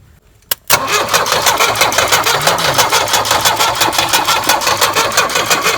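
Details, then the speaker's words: Tata Sumo direct-injection diesel cold start after long standing, heater used: starter cranks about three beats per second without firing; air suspected at injectors, nozzles being loosened to bleed air. "ചിലപ്പോൾ ഈ നോസില്ലേ air ഇതായി കഴിഞ്ഞാൽ പ്രേക്ഷകരോട് പറയും നോസിലോട്ടിക്കുക. Air പൊട്ടിക്കാണ്, air ഒഴിവാക്കണം."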